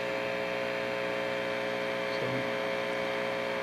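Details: Heathkit T-4 tube signal tracer, after more than an hour running on unchanged settings: only a steady, even hum with no crackle or popping, so the earlier noisy-component problem is absent and it runs quietly.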